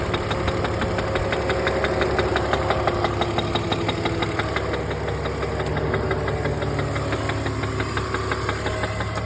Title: E46 330 engine knock/tap/rattle